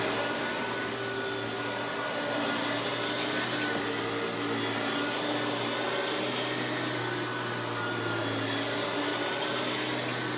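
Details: Hoover PowerMax Supreme 850 S3609 canister vacuum, 1990s, non-original hose, on high speed with power brush: steady, even motor roar and airflow hiss with a constant tone, no rattles or belt squeal; runs very smooth, not the quietest; normal running.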